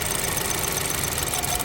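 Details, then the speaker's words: BMW F30 328i at idle with cylinder coils unplugged one at a time, each running worse; uneven, lumpy, shaky idle over hissy background with one cylinder dead, earlier misfiring slightly, all coils judged good; oil smoke noted. "it's gonna run worse plug it back in too it's gonna run worse we'll plug it back in three worse four"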